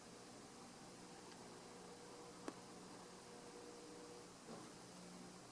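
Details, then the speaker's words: Catalina Lighting (Moss Mfg.) "Square" 52-inch hugger ceiling fan, white and chrome, dated April 1987, coasting down after switch-off: faint smooth hum fading evenly with no grinding or rattle, taking a long time to stop; bearings healthy. "that are good as you can see by how long it's taking to stop wow still going"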